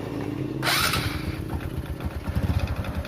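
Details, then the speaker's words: Honda Supra X 125 motorcycle idling with a rapid, hollow tek-tek knock that sounds like a connecting rod but is piston slap from a loose, worn piston rocking in the bore. "tapi sebenarnya ini suara piston tengkleng kristalnya sudah Awas ya jadi dia ngeflek kalau bengkoknya tengah"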